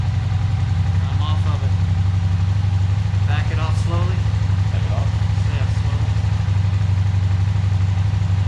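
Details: Suzuki SV650 twin that had sat unused a long time, carburetors just cleaned, restarted after an idle adjustment: steady, low, even throb at idle with no misses or knocks; it settles and runs cleanly on its own.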